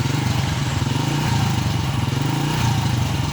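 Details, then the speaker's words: Honda Astrea motorcycle revving: a steady single-cylinder drone with a fine buzzy rattle as something on the body, possibly at the rear, vibrates; the source is unknown. "Nah tuh bergetar-getar kan, ada yang bergetar nggak tahu tuh apaan, tapi saya bodinya bergetar."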